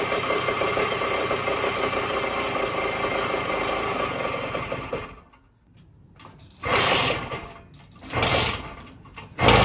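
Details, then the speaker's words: 1974 Indian SE74 dirt bike, Minarelli P4-70 two-stroke, after ~30 years sitting, carb rebuilt, magneto key replaced, points reset; even fast idle then blips while idle screw is turned out to lower rpm; running normally. "So, I'm going to turn the throttle the idle throttle adjustment screw out to decrease RPM."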